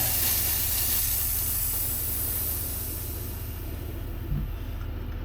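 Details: Terex carry deck crane that would not run: loud steady hiss slowly fading over several seconds, no engine running, as propane escapes freely from an open fitting while the fuel solenoid is being bypassed.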